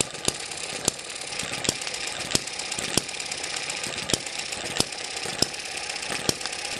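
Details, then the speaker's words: Eachine ET7 (same as M94) model hit-and-miss engine after governor springs were stretched further, now running 900–1000 rpm: sharp single firing beats every half to one second with irregular gaps and steady hiss; normal slow hit-and-miss running. "i've stretched those springs a little more now it sounds like a hit under 1000 rpm"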